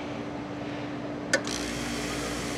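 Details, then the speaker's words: Rotary compressor salvaged from an HVAC unit, refrigerant removed, lines cut, thermostat off and fan between speeds: steady even mid-pitched hum with one click, then smooth rush of air; runs cleanly and pumps air well. "nice we have air flow can hear that kind does it pressurize it does it's a little angry when it does that"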